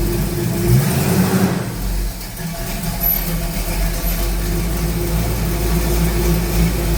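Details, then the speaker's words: 1969 Pontiac Firebird in for a fuel vacuum issue, fuel pump very old and car sat a while: engine catches, settles into a steady idle, then revs up cleanly and evenly with no knocks or misses; normal start and rev. "Sounds good anyway."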